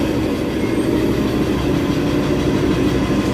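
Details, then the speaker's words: Ford Ranger Wildtrak 3.2 diesel before a general overhaul and engine rebuild. Heavy, uneven clatter over a loud rumble, irregular knocks a few per second; it runs rough, cause not yet known. "So yan yung andar guys, napakapangit. So ito nga ayusin natin ngayon."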